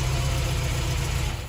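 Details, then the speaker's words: 1971 Fiat 850 Sport Coupe first start after new coil and distributor points work, running on very old fuel: small four idles smoothly with steady low thrum then switched off cleanly; normal idle. "I think we can officially say it's alive! Woohoo! Sounds quite sweet actually, considering how old the fuel is."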